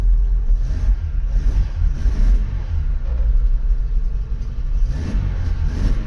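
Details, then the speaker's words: Mk3 Vauxhall Astra 1.6 LS saloon petrol, first start in about 12 years (unmoved since 2009), started via screwdriver due to broken ignition switch: a few light revs with a deep, even rumble, no knocks or misses; runs cleanly. "we're hey first time it's been started in 12 years probably"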